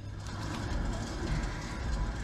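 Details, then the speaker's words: 2005 Infiniti G35 with speed-dependent vibration: hand-spinning this wheel gives an uneven, inconsistent low grinding rumble, much louder than the other wheels; likely a worn front wheel bearing, to be replaced with a MOOG 513268. "wow that sounds really bad compare that to the other wheel a lot more noise that's likely a bearing issue so you can hear a bunch of grinding it's inconsistent we're going to swap out the bearing on this wheel"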